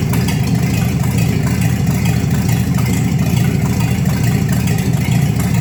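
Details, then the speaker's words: 1954 Chevy 3100 five-window truck fitted with a later-model 235 inline-six and dual carbs, on old gas that still needs burning out: steady, even low rumble with no knocks, misses or stumbles; normal healthy idle. "sounds good sounds real good actually um definitely need to burn that old gas out of there"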